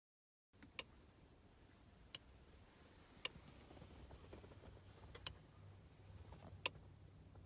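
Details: BMW MINI Cooper S R53, engine off: sharp dry click every one to two seconds at irregular spacing from behind the center console/dash, lasting perhaps about 15 minutes, like a switch operating; intermittent clicking of unknown source.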